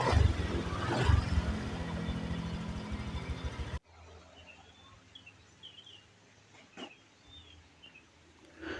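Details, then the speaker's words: Honda Vario 125 scooter after repairing the TPS instead of replacing it, fixing MIL blinking 8 times and power loss: low even putter at idle, no misses, then shut off; no MIL blink, normal after 3 days of use. "pemakaian selama 3 hari kedipan lampu mil sudah tidak muncul lagi dan motor sudah bisa normal kembali"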